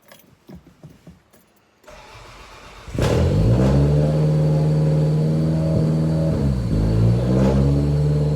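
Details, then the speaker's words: 1990 Toyota Celica GTS after cleaning the idle control valve, refitting the stock airbox and repairing airflow sensor wiring (possibly swapped): fast idle hunting up and down every second or two; owner suspects a vacuum leak or wiring; high surging idle. "I might have been why it was jumping because last time I had it switched it was jumping like that"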